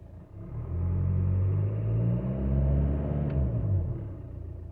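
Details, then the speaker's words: VW Jetta Mk5 1.9 TDI 105 HP (BXE) after turbo repair with oil, filters and diesel filter changed, about 43 km since: deep diesel rumble rises smoothly on a light rev and settles, no whistle or rattle, much smoother and quieter than before. "but like I said it's much much smoother much quieter I'm gonna rev up now the engine a little bit"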